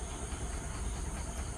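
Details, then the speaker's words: TVS XL100 moped, clutch parts recently replaced, running: low uneven putter with skipped, lumpy beats, pulling poorly; misfire from carburettor with stuck choke and blocked passages, air screw seized; fix is clean and air-blow it or replace carburettor. "ഭയങ്കര missing ഉണ്ട്, വലിക്കലുള്ളതുണ്ട്. ഇപ്പോൾ same complaint ആണ് നോക്കുമ്പോൾ അത് same complaint അല്ല. അപ്പോൾ ഇതെന്താ പ്രശ്നം എന്ന് വെച്ചാൽ കാർബറേറ്റർ പ്രോബ്ലം ഉണ്ട്."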